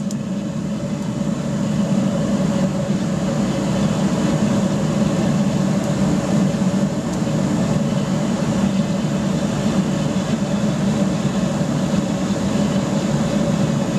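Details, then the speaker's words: Gravity-fed waste-oil burner fired into a pot belly stove with a small air blower, just after startup with an initial pop: steady, even roar with no popping or surging; normal burner operation. "so where you can hear that's well and truly off and running quite nicely real nice easy startup with a uh a bit of excitement with a bit of a pop to let you know it's on its way"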